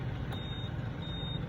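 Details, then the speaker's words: Honda Click 125 Smart Edition keyless: a short high beep chirps twice over the idle as the key is turned on, so the answerback beep works again. "Isa pa ulit. O 'di ba? May tunog na siya ulit."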